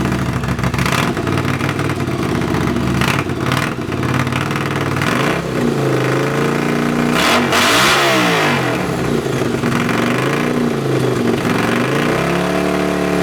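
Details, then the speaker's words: Honda CX500 café racer twin, after swapping a dirty fuel filter and colortuning the carbs (pilot screw about 2.5 turns out, slight flat spot right off idle): loud, repeated revs fall back to a steady idle. Runs and idles normally. "but it's running fine now as you can hear it's loud it's so loud it's idling fine as well"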